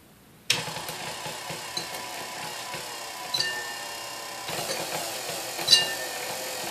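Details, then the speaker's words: Previously repainted KitchenAid Model 3B stand mixer with aluminum bowl, first run before restoration: motor hum broken by irregular sharp metallic clinks about once a second as the whip hits the bowl; beater height needs adjusting. "Alright, it does run. It needs a little adjustment because the whipper is hitting the bowl,"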